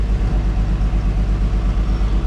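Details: 1950 Chevy Deluxe after rewiring from 6 V to 12 V with one-wire alternator, gauges showing strong charge: quick, even low thumping about five beats per second with smooth rhythm; normal fast idle.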